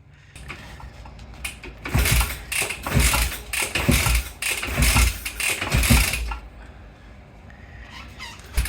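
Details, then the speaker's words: 1968 Benelli 350 (Montgomery Wards Riverside) motorcycle, barn-stored 50 years, carbs primed and idle adjusted, kick-starting: about five kicks, each a brief cough and rattle dying away; almost fires but won't catch. "He primed the carburetors, tweaked a few things here and there, adjusted the idle settings, etc., and then started to give it a go. It wants to go. It wants to go."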